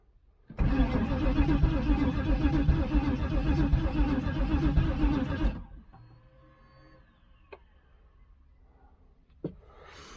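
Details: 1996 Pontiac Trans Am LT1 5.7 V8 bought as a non-runner with no spark or fuel; fuel pump not heard priming; about five seconds of steady cranking at roughly four turns a second that never catches; cranks, no start, cause unconfirmed.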